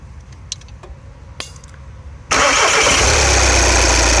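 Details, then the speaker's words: VW TDI with plastic intake manifold (03L129711AG) after low-cost fix for P2015 from worn throttle valve flap stoppers, part held with M6 bolt: diesel cranks, catches at once, settles into steady even idle, no misses or rattles. "everything is fine this is all disappears or them the part is mounted with the m6 bolt you see on top you can hear it working again"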